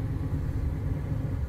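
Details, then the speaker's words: 1980 Dodge B300 Sportsman camper, just started after three throttle pumps; deep, steady low rumble with an even beat and no knocking, the old engine idles normally. "là, il tourne. Génial. Et voilà, il se meut toujours avec fière allure."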